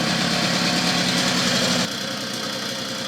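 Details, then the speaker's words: Puch Maxi two-stroke moped, first start after 40 years of storage, idling with a light, fairly even tapping about four per second; crankshaft bearings dried out from long standing, knock expected to lessen as it runs; stuck piston rings still a risk. "Das Klopfen, was man jetzt ein bisschen hört, das ist Kurbelwelle. Ne? Diese lange Standzeit ist das Lager natürlich trocken geworden und das ist etwas weniger."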